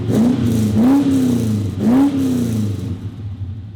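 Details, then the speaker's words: LS-swapped HQ Holden V8, first drive after first start-up, with a new 2.5-inch stainless exhaust: the engine blips up and back down twice with a smooth, clean rise and fall and no knocks or rattles; sounds good. "that actually sounds really good"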